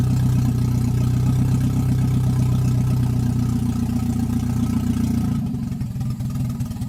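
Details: Toyota 1NZ-FE that would not idle on its own, idle air control valve looked fine, throttle body port suspected: catches and settles into a steady low idle hum, tone loosening near the end; normal idle.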